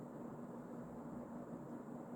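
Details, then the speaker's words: Emerson Casablanca Designer CF-2036W 36-inch two-speed ceiling fan, early-mid 1980s, K-55 stack motor, cracked motor housing, on high speed: steady, even whir with faint low hum, no ticks, rubbing or wobble; runs smoothly. "So that's the high speed. And this one does go really fast."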